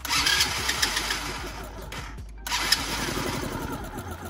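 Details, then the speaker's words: Free quad ATV not run in several years, crank no start from fuel starvation: ragged cranking about three or four turns a second, no firing; no fuel from carb drain screw, floats possibly stuck, leaking petcock sits below carburetor so fuel won't reach line. "But I cannot get fuel to the line that goes to the carburetor because for whatever reason they designed it as the petcock is below the carburetor, which doesn't make any sense whatsoever."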